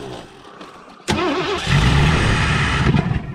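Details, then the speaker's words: 1984 Ford Thunderbird 5.0 V8 after sitting for years, running on hand-poured fuel: backfires with a bang, then runs ragged and surging under throttle and fades out; injectors not delivering fuel. "i don't know if y'all caught that that wasn't good she backfired and just about caught my old bottle on fire"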